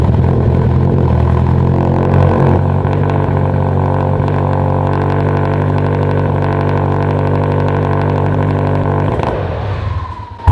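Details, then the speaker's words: Mitsubishi Evo 10 suddenly running terribly: steady low drone, then engine sags and dies abruptly the instant throttle is given; owner suspects faulty MAP sensor. "The second you give it gas, it dies. The very, very second. So let's do the 3-second repair and swap the map."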